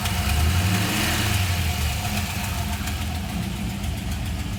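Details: Chevrolet LS1 V8 at steady idle with a light clacking tick keeping time with the engine, cause not pinned down; ticking noise at idle.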